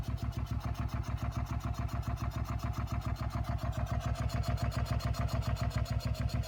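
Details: 2004 SV650 V-twin idling with a steady, even beat of about three or four pulses a second, plus an extra engine noise. Owner is trying to identify it; cause not pinned down.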